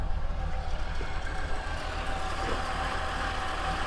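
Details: Monaco with Thermo-Quad carburetor, just started before warm-up, kickdown adjustment in question: very low, loping, irregular idle that sounds ready to stall; rough low idle, mixture and kickdown screws still to adjust.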